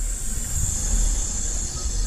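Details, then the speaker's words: Honda CR-V after AC compressor replacement, engine running, machine charging about 1.2 lb through both high and low lines: a steady high hiss over a low engine rumble; normal refrigerant charging sound. "start serena is pumping air into the system that's what i said there listen to this"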